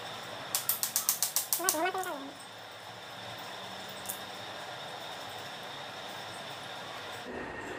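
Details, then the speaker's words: Car wiper linkage turned by hand: about nine quick scraping clicks in a second and a half; rainwater got in and rusted the pivot shaft, which is seized inside its plastic bushing, so it was to be serviced and freed. "Shop में पूरा जंग पकड़ा हुआ है यह बारिश का पानी इसमें जाता है कंटिन्यू अगर बारिश तो धीरे-धीरे शॉप जंग लगना चालू है और जंग लग करके प्लास्टिक के अंदर में जाम हो जाता है"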